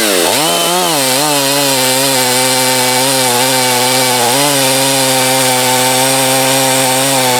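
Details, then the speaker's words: Husqvarna 254 chainsaw, once trashed and rebuilt, not broken in, open-port cylinder, muffler mod, decked cylinder, cutting at full throttle: steady high scream with slight flutter on top; owner thinks it runs a little lean on top but runs well. "I think it's running a little bit lean on top but it really runs good for what it is"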